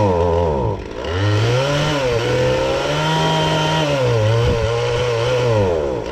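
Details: Husqvarna 450 X-Torq chainsaw two-stroke, fitted with new bar and chain, that won't run properly: revs unevenly, pitch sagging and surging without holding steady speed; running poorly, cause not yet found.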